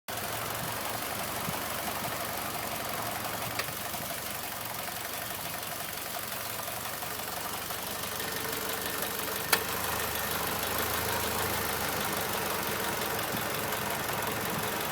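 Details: Idling turbo engine with a faint high whine and light uneven ticking, like rotating parts striking inside the turbo; dealer says it's normal, owner worried, cause unconfirmed.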